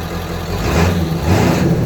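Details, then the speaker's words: 1995 Ford F250 7.3 Powerstroke diesel, about 180,000 miles, stock, Royal Purple oil, idling after start: steady, even idle with a deep exhaust rumble, no misses or knocks, no smoke; running healthy. "all around a great running truck no smoke when you start it nothing like that"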